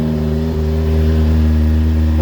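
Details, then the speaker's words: Rebuilt Kawasaki Ninja motorcycle on a cold start, just fired on choke with the airbox now fitted: a smooth, even low idle at a steady pitch, quiet, no longer throaty as before without the airbox, no rattles; normal idle. "and quiet had an air box on it was a bit throaty before obviously because it was sucking hearing straight from the outside but now he's got that air box on"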